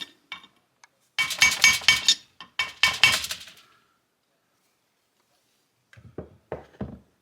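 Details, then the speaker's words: 2012 Kawasaki KX250F bottom-end rebuild: a frozen bearing is tapped into the heated crankcase half, retainer grooves up. Quick metallic taps end in a firm solid ring as it bottoms out in the countersunk bore, showing the bearing is fully seated. "It's a little bit countersunk, so make sure you get it down in there all the way. Oh yeah, you can hear the difference when it bottoms out."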